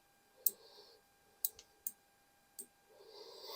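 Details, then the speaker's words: Savage MSR10 rifle, ball-detent adjustable gas block during barrel and JP Enterprises bolt swap: crisp, separate clicks as the block is turned, each setting snapping in cleanly; detent working normally. "This is a ball detent one, so you can hear the clicks there. That's what that's about."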